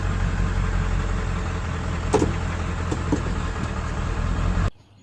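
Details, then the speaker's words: Ford 7.3 Powerstroke diesel truck after stalling, restarted by cycling the key: steady, even low idle with no misses or knocks, then shut off; intermittent check engine light, power loss and stalling suspected from camshaft position sensor. "engine stalled out but if we shut the key off turn it back on starts right back up"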